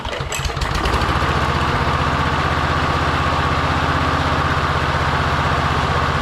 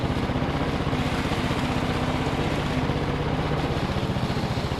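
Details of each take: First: Victa push mower with a Briggs & Stratton engine, found in hard rubbish, first start after priming: small single chugs steadily at about four beats a second, uneven and lumpy, like it's running with the choke on; cause not confirmed. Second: Victa Briggs & Stratton push mower after fitting a new trimmed cable: steady, even single-cylinder beat with no misses, surges or knocks; runs normally.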